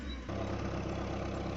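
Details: Suzuki Swift 1.3 engine idling after misfire repair; the engine now runs with a steady, even low thrum and no stumbles or skipped beats, a smooth idle with the missing cured.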